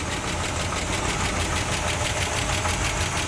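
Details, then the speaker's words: 1966 Cadillac DeVille 429 V8 at idle: fast uneven light clatter, a few ticks per second, over the idle from valvetrain; owner suspects insufficient oil reaching the valves, unconfirmed. "I do not think it's getting oil pumped up to the valves enough"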